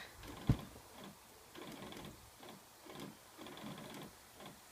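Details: PS3 disc drive makes repeated mechanical buzzing bursts with clicks, only when continuing The Last of Us; screen then goes black and console must be unplugged; other games work fine.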